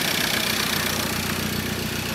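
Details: 2013 Ford Ranger 2.2 TDCi, first start of newly fitted recon engine after priming oil pressure: steady diesel idle with light even tapping that should fade once oil reaches the top end; normal, no leaks.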